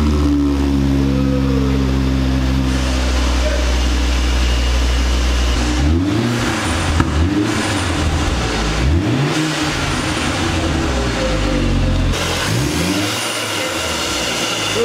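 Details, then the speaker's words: 2004 Volvo V70 R after replacing the catless downpipe with a catted pipe: engine revs up and drops back several times with a smooth, muted exhaust note and no rasp or drone. Noticeably quieter than before. "see how much quieter it is now"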